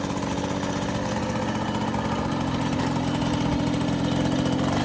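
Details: Restored MBK 51 Club moped, carburettor untuned, idling after a test ride: quick, even two-stroke buzz that rises slightly, with no knocking or misfire; engine running fine.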